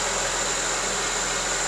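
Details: Honda CR-V with intermittent fuel pump relay problem: with relay negative terminal grounded, steady even idle under constant hiss, no stumbles or knocks; runs fine, no check engine light, no codes on scan tool.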